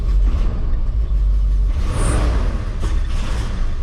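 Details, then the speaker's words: 1978 Ford F100 V8 with Holley system, revved: a loud, lumpy, uneven, popping rumble. AFR reads fairly decent and the valve cover gasket is leaking and smoking; rough running, cause not pinned down. "that sounds terrible all right shut it off idiot"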